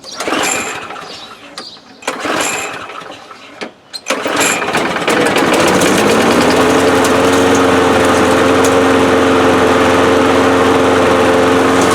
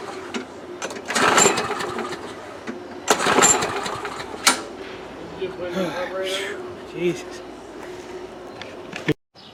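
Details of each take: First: 2005 Murray Quantum 6.5 small engine with part swapped from a Craftsman: primes right up, a few pulls then steady, even high drone at constant speed; running normally. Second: 2005 Murray Quantum 6.5 mower engine with new carburetor and primer bulb: surges and sags unevenly about every two seconds, never settling; fuel not reaching carb, suspected plugged primer backing plate holes; the plate was later found to be the problem and fixed.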